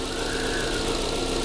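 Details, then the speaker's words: Used car on sale at Janganpyeong market, engine idling with hood open during inspection: steady, quiet, even hum with no knocks or surging; a water cup on the engine barely moves, indicating a healthy engine. "소리, 이렇게 엔진이 조용해야 되거든요. 이 소리가, 고유 소리."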